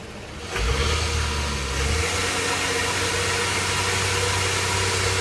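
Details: 2005 Honda Odyssey on jack stands, in gear while power braking, noise only in gear: harsh steady buzzing rattle from the catalytic converter shell vibrating; fixed by clamping both converter ends, noise gone.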